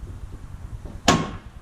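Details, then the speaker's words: Ford F-350 tailgate: low handling rumble, then one sharp metallic pop with brief ring when raised after binding on the way down; binding or broken torsion rod of the lift assist. "that loud pop when it comes back up I found out that's part of the torsion bar that's inside of tailgate for the easy lift what happens that torsion bar can break and over time when you pull it down it tends to bind and then you pull it back up and wants to make a popping sound"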